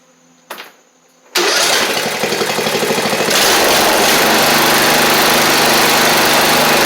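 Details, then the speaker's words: 7-year-old MTD Murray riding mower after replacing the missing exhaust valve, covers refitted: short crank, catches at once and settles into a steady, even run with no misses or knocks; normal running. "I think does run good"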